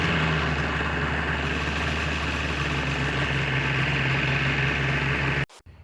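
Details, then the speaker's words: 2004 Viper two-stroke with 8,000 miles, after exhaust manifold repair and variable exhaust valve cleaning: steady even drone, clean hum, no misses or rattles, then cuts off sharply; sounds good, running normally. "So yeah, I'm really happy. It sounds good."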